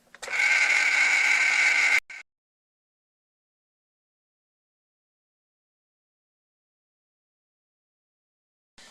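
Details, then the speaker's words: Hy-Gain AR-303 light-duty antenna rotor, bench test before mast mounting: steady, even buzzing hum for about two seconds while rotating a full turn, then a clean stop, no binding or grinding. "so now I'll just rotate it one more time around and just make sure nothing's binding"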